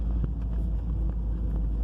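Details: Audi A3 driven over bumps, heard inside the car after a stripped front bolt was replaced and a nut and lock nut fitted: low road rumble and soft thumps. The earlier metal-on-metal knocking and scraping is gone; the front suspension is quiet.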